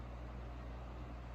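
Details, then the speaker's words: 1983 Crown 12-inch oscillating fan, initial test run on low: soft steady hum with faint airy rush, no ticks or rattles; shortly after, it shut off by itself and failed on medium. "that's a quiet fan"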